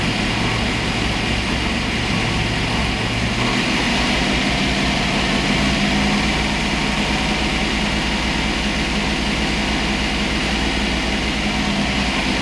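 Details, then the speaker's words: Boss 429-style Hemi-headed 429 stroker Windsor Ford V8 on dyno, 93 octane pump gas, initial run-in: deep even roar at steady speed, no misses, ticks or knocks; no leaks, healthy. "i don't know how well you can hear this but this sounds like music so all right so we just did the initial run in no leaks which is a good thing"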